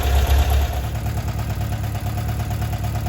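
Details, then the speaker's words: 1978 VW Bus 2.0L flat-four, renewed and resealed, converted from fuel injection to carburetor with new carb kit, valves checked, timing set, choke on; low, steady, even putter with no tapping or misfire; normal healthy idle. "Valves have been checked. They're running pretty good. Sounds good. Awesome."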